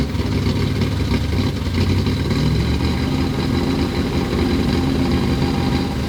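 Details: 1963 Corvette split-window V8, 340 hp, Racer X carburetor, first start after sitting: deep steady idle, even low rumble, no knocks or misses; small water-pump bypass hose leak found afterward. Normal idle.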